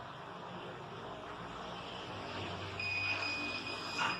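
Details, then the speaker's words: CCTV DVR that shows a display but won't record: a continuous high-pitched alarm beep over room hiss, persisting after restarts. It indicates a hard disk with bad sectors needing repair or replacement. "but I have checked that it is continue beeping, which means that there is a problem of hard disk. There is bad sectors in the hard disk,"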